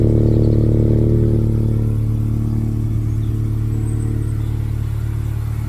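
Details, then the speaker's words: VW Scirocco after roadside breakdown, started by recovery technician: lumpy uneven beat about four pulses a second over low hum; diagnostics showed low combustion in cylinder 3, a misfire. "it wasn't sounding healthy. The technician's diagnostic equipment did indicate that there was low combustion in cylinder 3 and the car would need to be recovered."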